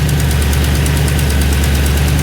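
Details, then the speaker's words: Audi C5 RS6 twin-turbo V8 idling, deep idle with light quick ticking from a blowing exhaust manifold, possibly not tightened properly or old gaskets reused. "but that ticking noise is a blowing manifold so let's get this on the ramp and have a look"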